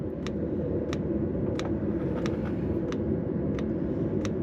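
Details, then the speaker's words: Autoterm Air 2D 2 kW diesel air heater, fuel pump mounted at manual-specified angle: sharp evenly spaced ticks over steady fan hum; dosing pump clicking at correct rate, no issue found. "So, it's positioned in that angle as described in the instruction manual. It is clicking and running in the right speed. So, I don't think there are any issues there either."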